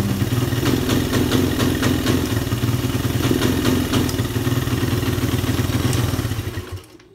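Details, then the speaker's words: Suzuki Satria F150 motorcycle idling with a steady, low, uneven pulse. It won't rev when the throttle is opened and is sometimes hard to start. The owner suspects the ignition, or possibly a leaking valve. "Cuma gimana ya kalau digas ee dihidupkan hidup nyala, pengapian juga bagus tapi enggak mau digas."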